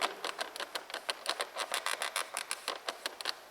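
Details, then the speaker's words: Renault Duster interior door handle decorative trim: sharp, dry plastic clicks and creaks, about five a second, when the handle is pressed. Finding: creaking interior door handle trim. "ручки дверей внутренняя часть они очень шумные и при нажатии на них они издают неприятный шум"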